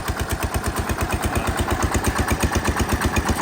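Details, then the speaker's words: Massey Ferguson 16 garden tractor with single-cylinder engine, just fitted with a replacement aftermarket ignition, at full throttle: steady moderate thump about three beats a second, not reaching full speed; owner suspects throttle cable adjustment, full sounds like mid-throttle. "Yeah, I think I gotta play with the throttle cable adjustment because that's mid-throttle. That sounds like idle. And having that full throttle sounded kind of like mid-throttle."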